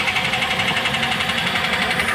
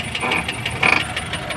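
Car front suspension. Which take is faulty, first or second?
second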